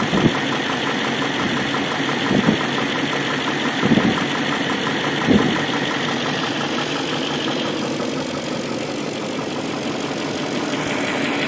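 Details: BMW M62B44TU V8 with stock exhaust, chain tensioner (BMW 11317531813) replaced with an aftermarket INA part; idle with a light, uneven metallic rattle and a few revs, a timing chain rattle from slack chain.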